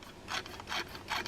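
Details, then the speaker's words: Fishing reel with heavy salt buildup and a bent bail, as it is cranked: harsh filing-like grind in bursts about twice a second; bent bail suspected, penetrating oil expected to help. Cause not confirmed. "Actually, you can hear it. It almost sounds like somebody's filing."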